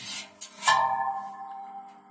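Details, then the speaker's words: Boiler plant draft fan/smoke exhauster impeller spun hard by hand: scraping knocks and metallic ring as impeller strikes inlet cone due to insufficient clearance; gentle spin was silent; adjust with damper fully open. "посильнее слышите появляться стуки начинают шуметь начинает то есть меня расстояние до этого конфузора рабочего колеса"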